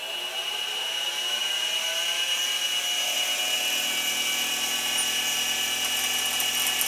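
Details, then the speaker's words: New DIY fly cutter on a mini mill, not the aluminum finishing insert: steady high-pitched cutting hiss with a constant ringing tone, no chatter or stutter; smooth even cut with nice chips. "Alright, show a little bit of the new fly cutter in action here."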